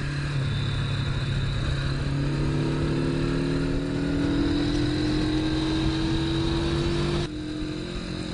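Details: Honda CB450 K0 twin with about 5,000 miles cruising at about 50 mph, a little over 5,000 rpm; firm, even drone rising slightly as it pulls, with the model's typical handlebar buzz felt; healthy and smooth under load.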